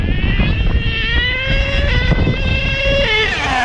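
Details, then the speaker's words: HPI Savage XL nitro monster truck (K5.9 or X4.6) after low-speed needle tuning, slightly rich: buzzy nitro engine revs hard, pitch dropping cleanly at each shift as the 3-speed transmission shifts through all three gears; normal gear shifting. "Yep, I heard the 3. I heard the 3 times shifted. Oh man, I'm happy."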